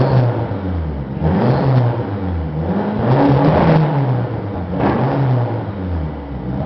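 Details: 1995 Eagle Talon TSi, 4G63 DSM, 200 miles after new timing and balance shaft belts: uneven idle swelling and sagging about every two seconds, backfires and dies; owner suspects jumped timing or ECU, compression and coil packs test good.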